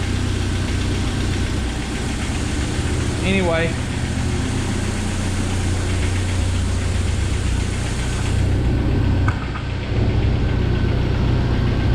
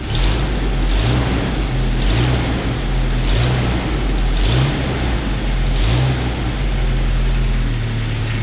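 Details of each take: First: 1997 Jeep Wrangler TJ 2.5L at idle after timing chain and gear replacement: timing chain now quiet, but light fast ticking about four per second under the valve cover remains; owner believes lifter noise. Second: 1997 Jeep Wrangler TJ 2.5L at idle after timing chain and gear replacement: even, smooth low rumble, no knock or rattle; tapping under valve cover the owner believes is lifters.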